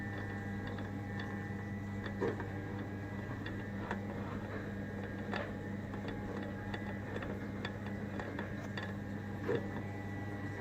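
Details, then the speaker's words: Spindle turned slowly by hand on a disassembled machine: quiet, uneven light ticks seemingly from the quill bearings, smoother when turned quickly; owner suspects flat spots in the bearings, with play along the quill, not proven. "but with the bearings of facts which I think there was some flat spots is I turn sounds better when I turn it quickly but the sound seems to be coming from this"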